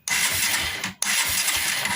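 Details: 2004 Suzuki Shogun 125R 125cc motorcycle, key on, starter cranks in two fast even bursts of about a second each with no firing; crank-no-start from lost ignition, no spark found at the coil, CDI checked next.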